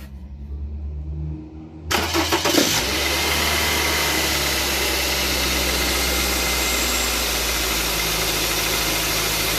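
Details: Car engine idling, belt drive making a faint fluttering chatter; worn accessory belt tensioner lets the belt oscillate, noise and tensioner movement increasing when an automatic gear (drive or reverse) is engaged; tensioner replacement fixed it.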